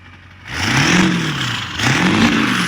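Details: Ford 7.3 Powerstroke diesel after owner's engine swap: clatter swells as it catches and settles into a steady even rumble, no misfire or knock; healthy running.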